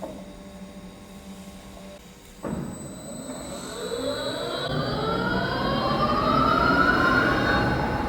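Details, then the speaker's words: New large lathe with a big chuck on first start, switched to the high speed range (about 300 rpm), no foot brake: click, then even hum with gear whine rising steadily as the spindle spins up, no grinding; healthy. "Và đây là dải tốc độ mà tôi thực sự muốn thử nghiệm, đó là dải tốc độ cao."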